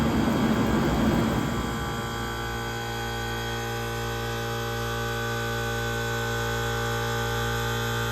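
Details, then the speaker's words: 1978 Comfort-Aire Quietmaster 29,000 BTU air conditioner with Tecumseh AH152HT031 compressor, not yet cleaned, fan stalled: smooth, even hum from the compressor; normal compressor running. "So we're going to go ahead and stall the fan out for a few seconds here so you can hear the compressor. This thing sounds absolutely fantastic."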